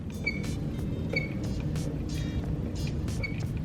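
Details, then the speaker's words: K24 EP3 with a Skunk2 throttle body worked by hand; sharp high squeaks in spurts about every second, with felt grinding as the butterfly wedges and binds; owner suspects the throttle body, which has no return spring. "I guess you can't really hear the grinding over the squeak, but you could feel it. Like that butterfly in there, like it grinds."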